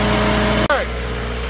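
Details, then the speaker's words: Hitachi machine after gear train filled with correct oil, curing its howl: even, steady run with smooth low tone, no knocking or whine; normal running after fix. "it's fixed. See? No more noise. And back to work she goes, boys."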